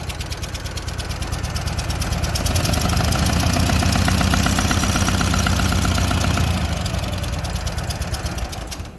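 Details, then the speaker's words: Walker mower engine, previously repaired with a helicoil, idling with a sharp, rapid puffing tick, roughly four a second, swelling and fading with revs; an exhaust leak is suspected, not confirmed. "Sounds like there's an exhaust leak. That's what it sounds like. Exhaust leak somewhere."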